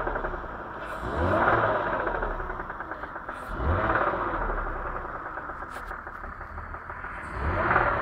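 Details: BMW E39 with M54 engine, throttle blips: three revs, each with a metallic knocking rattle that rises with revs and eases as the engine drops back to idle; engine knock when revving.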